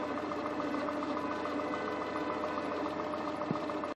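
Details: 2000–2001 Peugeot 206 1.4i after timing belt job: steady thin whistle above the running engine, like a turbo; no warning lights, temperature normal, gauge not above 90°; source unclear.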